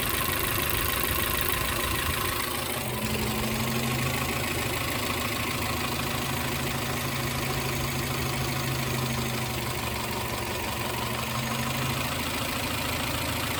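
Idle with an irregular stumble of about three beats a second over a steady drone; that points to a misfire, cause not yet known.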